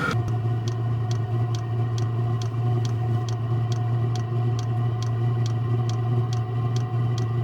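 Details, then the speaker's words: Chinese clone of an Eberspacher diesel heater on its fastest run mode, warming insulated house water pipes. Steady jet-like combustion roar with an even fuel-pump tick about twice a second, no exhaust smoke; normal clean full-output running. "Unit now on fastest run mode ticking and jet engine noise. It is having complete actuating! No exhaust smoke! Noise gets louder and louder as unit combusts fuel at tempter."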